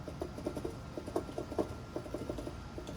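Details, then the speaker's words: Chevrolet Onix/Prisma/Celta-family car, exhaust pipe rocked by hand: faint, irregular light taps as the enlarged, slack exhaust hanger fixing rubber knocks against its mount, mistaken for a suspension knock on rough roads. "e eu tô balançando aqui com a mão então a borracha isso essa folga esse buraco alargada bosta fica batendo aqui e fazendo um barulhinho você escuta bem baixinho mas é esse barulho batendo"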